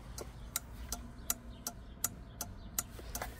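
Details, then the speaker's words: Camper turn-signal thermal flasher relay, replacing an old repaired one that paused about 2 seconds; crisp evenly spaced clicks about three per second over faint hum, normal flashing rate. "Tas ir termorelejs. Respektīvi, pagrieziena relejs."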